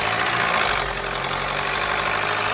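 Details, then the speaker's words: Skoda Superb 1.8 TSI petrol with misfire, hunting and oil light, cam correlation code; idle with busy metallic rattle of cam timing advancing and retarding as oil pressure leaks internally, smooth with cam adjuster sensor unplugged. Variable cam timing rattle from low oil pressure. "य जो आवाज आ रहा है timing के advance और retire होने का आवाज आ रहा है"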